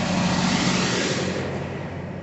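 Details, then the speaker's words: Troy-Bilt TB525 EC trimmer just after a new carburetor and fuel lines, air filter assembly not yet refitted. A high revving buzz that wavers, spitting and sputtering at full throttle but clearing up. "Yep, she's still spitting and sputtering, but she's clearing up."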